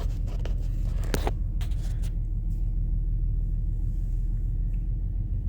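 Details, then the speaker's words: 2005 Toyota Tacoma, engine fully cold, shakes badly at idle with flashing check engine light; uneven stumbling rumble; code P0301 cylinder 1 misfire, suspected ignition fault (coils, plugs, wiring or computer). "tal vez esto me atrevería a decir de que es un problema de encendido un problema con que tenga que ver con lo que son bobinas bujillas cableado computadora porque está destellando la luz de la check engine"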